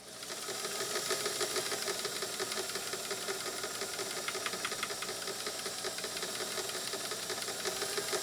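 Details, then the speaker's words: Canadian-made Singer sewing machine running: quick, uneven light knocking about three per second over motor hum; bobbin case not adjusted to the raceway, moving excessively. "Part of what I'm seeing too is that this bobbin case is not adjusted and calibrated properly to the raceway. It's getting a little bit of excessive movement."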